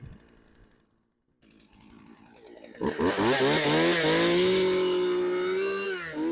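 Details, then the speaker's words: Craftsman chainsaw left outside for years, cold start: quiet pulls, then it catches and climbs to a strong steady high rev that holds without stumbling; starts and runs well cold. "I'll give it a couple wide opens and some idle time and then we'll run it so let's see how she does on a cold start"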